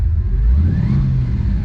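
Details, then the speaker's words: Chevrolet Impala V8 driving with low charging voltage: deep rumble falters and pulses unevenly at low rpm, then picks up at higher revs; owner first suspects weak spark, module or coil; cause was low voltage. "It's got weak spark. Get up in the R's a little bit, it's okay, but on the low end, something ain't right."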